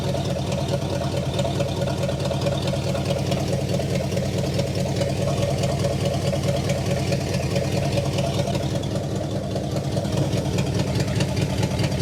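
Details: 1960 Pontiac Catalina 389 V8 sat since 1985, now fed from a boat tank via electric fuel pump: steady, even V8 idle, deep regular burble, no misses or knocks, no fuel leaks, exhaust sounds good; dwell still far off.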